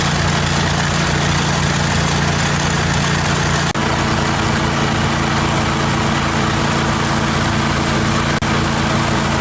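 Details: 1980 Jacobsen Turfcat 60-inch mower running after PTO shaft repair and regreasing: loud, steady engine drone with an even low hum and no knocks or rattles; runs smooth and healthy.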